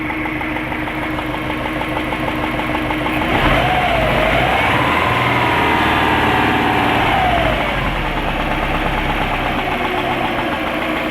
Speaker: My 2 litre Impreza WRX EJ205 with the mad clicking sound.